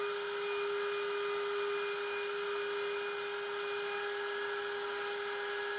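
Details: Genmitsu 3030 PROVer Max desktop CNC with 1.25HP Makita router instead of stock 300W spindle, pocketing aluminium: steady high tone with even cutting hiss, no chatter or rattle; normal smooth cutting, near-mirror finish, square 19.97 mm.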